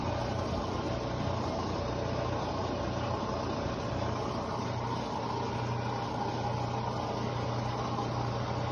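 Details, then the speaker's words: Mabe Aqua washing machine drain pump: steady low electric hum, but it no longer pumps or drains water; the impeller is broken and the pump needs replacing. "ese ruido que hace es porque ya no solamente se escucha el ruido pero ya no está ya no está aventando el agua no está desaguando como se debe"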